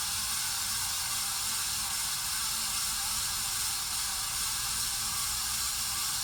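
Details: 53" Casablanca Spirit Of Saturn ceiling fan, recorded 2018: steady loud hiss and rushing with rough scratchy edge, no rhythm; bad bearings, later replaced.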